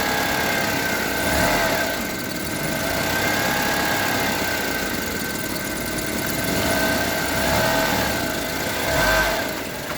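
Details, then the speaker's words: Honda HR-V CVT in Drive: steady droning hum over idle, swelling with light throttle, heard at rear, gone in neutral; owner suspects transmission bearings, unconfirmed. "А сейчас, когда D включаешь, вот такой гуд появляется. Вот где-то здесь вот сзади. Сейчас чуть газу прям. Вот, хорошо слышно."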